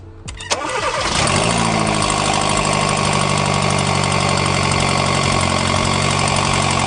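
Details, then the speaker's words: Hyundai New Tucson, customer reported loud engine noise: engine catches and settles into a deep, raspy idle with rapid puffing; borescope found a cracked exhaust manifold causing the noise. "a gente detectou que nesse carro aqui houve uma trinca no coletor de escapamento do carro fazendo o barulho forte do motor"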